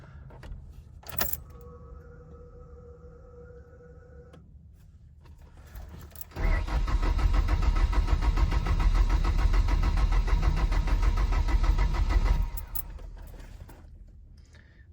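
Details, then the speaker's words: 2.0 EcoBoost Ford Ranger, no coolant, downpipe or O2 sensors connected, throttle held open, weak battery: starter churns sluggishly about three turns a second for six seconds, engine never catches; slow crank, no start. "all right so it's turning over kind of slow uh the battery's kind of weak"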